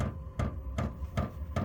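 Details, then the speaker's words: Diesel parking heater, in a shed, during its startup cycle. The fuel pump ticks sharply about every 0.4 s over a low hum as ignition faintly sounds, just before flame-on; normal ignition. "There goes the pump. And you can just so ever slightly hear the ignition."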